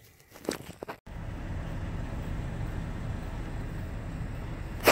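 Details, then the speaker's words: 2012 Chevrolet Traverse 3.6 V6 AWD after in-vehicle replacement of stretched timing chains: engine catches after a second and settles into a smooth even idle with no rattle or chain slap; much quieter, normal idle. "Oh, I was just taking a video of it running. Just to prove that we fixed it. It sounds much quieter."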